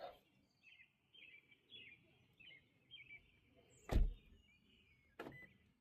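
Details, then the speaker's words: 2022 Toyota Corolla Hybrid door after replacing failed door lock actuator: two sharp solid clunks about 1.3 seconds apart, lock then unlock, birdsong outside; actuator now works normally. "And I can hear it actually locking inside of there. So, yep, I think this took care of it."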